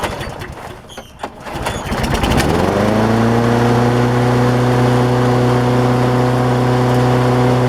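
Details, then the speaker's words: Lawnmower converted to propane, second start after a week, which turned out to run dual fuel on leftover gas: cranks about two seconds, catches and settles into a steady, even run with a clean, constant tone; normal running. "I came out here to fire it up for the second time been a week or so ago since I made that last video and uh anyway turned on the gas and fired it up like this"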